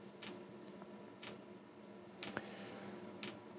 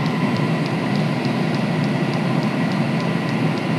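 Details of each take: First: Diesel heater that has never worked despite new controller and ECU, glow plug drawing eight amps: fuel pump ticking about once a second and speeding up over fan hiss, white smoke but no burner roar; heater not igniting. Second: Previously non-lighting diesel heater at full power, pump at four hertz, glow plug off: steady even burner roar with quick regular fuel pump ticks about three a second, burning on its own; runs fine.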